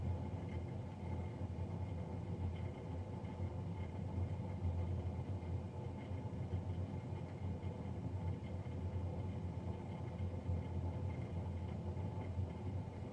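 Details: Navien NCB-240 combi boiler, serviced Jan 31 2020 and recorded Feb 3 2020: steady low rumble with a constant ~900 Hz hum and no cycling, the combustion fan running unusually loud, cause unclear.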